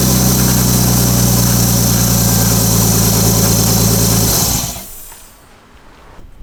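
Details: Restored R32 Skyline just started after being revived, catalytic converter not yet fitted: steady, even petrol idle with a smooth regular beat, no knocks or misses, then shut off; a rattle is noted, believed not from inside the engine; normal idle.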